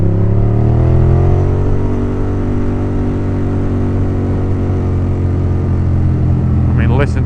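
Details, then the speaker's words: Ducati Monster S4 on its first test ride after the work done on it: deep, lumpy V-twin rumble rising smoothly, then settling to even, clean firing; sounds healthy. "that thing is there has ever been a sexier sound it's it's such a nice nice sounding bike beautiful"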